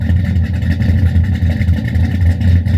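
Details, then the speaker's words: Cammed Silverado LS V8 with FAST intake, ported heads, 1000 cc injectors, long-tube headers, first start after top-end upgrade: heavy lumpy idle with regular dropout, dead cylinder, fuel smell; owner suspects an injector not firing. "smell the fuel got a dead Miss got an injector that's not firing at all"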